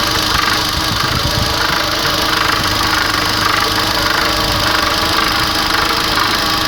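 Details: Chery Jaggi (QQ6) petrol engine at idle: loud idle with a faint repeating tap in the upper mids, rhythm not crisp; engine knock present, source unidentified by owner.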